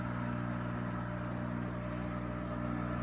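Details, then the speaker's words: Kenmore stackable front-load washer, lid closed, pump running with a steady even hum and low drone, no grinding or rattle; normal washer pump running. "so you can hear it great pump sounding isn't it"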